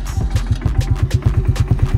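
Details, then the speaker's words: 2003 Bombardier (Can-Am) Quest 500 ATV, already warmed up: regular even single-cylinder thumping, no misses or knocks, idle slightly low; normal idle, though it is hard-starting cold and stuck in gear. "as you can tell idle's good sound pretty good and everything idle a little low rate this second"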